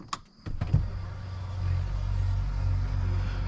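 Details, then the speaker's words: 2021 Ford F250 6.7 Powerstroke priming after changing the fuel filter, key cycled: lift pump gives a low, uneven rough hum as trapped air works out of the filter housing, then settles; air in fuel system during priming. "I hear stuff this is why we do it this is why you got to cycle this thing you got to get all the air out of it"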